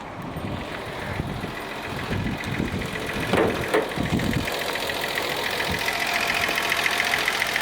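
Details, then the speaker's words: 1979 Datsun 280ZX inline-six, fuel starvation fixed, nearly at operating temperature after a short drive, fuel pressure 32–33 psi: steady even idle hum, smooth without misses; fan clutch seems slow, coolant leak noted. "she is just humming away albert"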